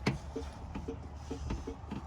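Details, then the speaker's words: 1987–1989 Jeep Comanche/Cherokee with 4.0 Renix engine running: pressing the horn gives only a quiet click about twice a second under the engine rumble and no horn tone; the horn doesn't work. "And of course my horn doesn't work anyway. You can hear it kind of clicking."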